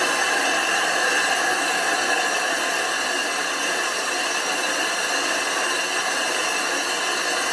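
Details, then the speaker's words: Grinding flat the back of a 25-inch F3 telescope mirror blank thinned from 2 in: loud steady gritty howl with no drop-off or stutter, the howl meaning it is grinding properly. "and you want to hear that howling grinding sound if it's not howling it's not grinding"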